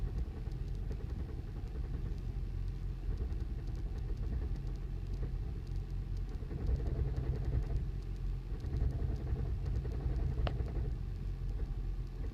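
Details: 2008 Toyota Prius just after start-up, car shaking, check engine light on after repeated starts: deep, lumpy idle rumble with uneven knocking thumps, a misfire from worn spark plugs.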